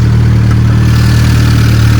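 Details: Honda Civic R18 with a built shortblock, freshly started after the build and after sitting a long time: steady, even low idle with a deep smooth drone and no knocks or misses; healthy.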